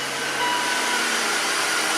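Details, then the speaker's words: 2004 BMW X5 3.0-liter after misfire diagnosis with gas analyzer and new coil, restarted so computer re-enables the cylinder 2 injector: even steady idle hum, no stumbles, smooth. "There you go. Nice and smooth."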